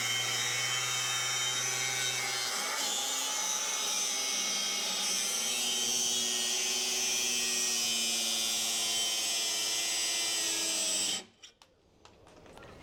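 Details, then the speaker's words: KINCROME cordless angle grinder on a 4 Ah battery cutting steel: a high, steady whine sags in pitch when the disc is pushed hard into the steel. The motor slows under heavy load but is judged adequate. "She dies a bit when you push. Pushing pretty hard there."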